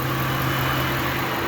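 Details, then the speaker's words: 2010 Ford F-150 5.4 Triton V8 at 166,315 miles, due for oil change, idling; smooth even low hum with no ticks, knocks or misses; sounds normal. "Okay, we're back on the 5.4 here, the 2010. We had 166, can't read it, looks like 315 in November, 7 quarts of oil. It sounds pretty good,"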